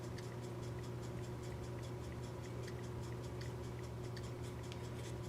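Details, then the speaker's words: 1974 Seth Thomas C-cell battery pre-quartz clock movement after disassembly, cleaning and lubrication, running on the bench: crisp evenly spaced ticks over faint room hum, normal. "have to do that but it's off and running hear the ticking"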